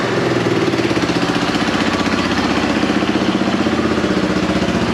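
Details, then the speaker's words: Rebuilt Yamaha YFM225 ATV single-cylinder first run after oil priming: quick, even, steady putter with no knocks; runs well, heaps of smoke considered normal, slight exhaust leak suspected, no oil leaks. "all right sounds like we have a bit of an exhaust leak over here a little bit of smoke coming out that's quite normal no oil leaks everything looks good and most importantly it's got chopping heaps of smoke even give it a rip"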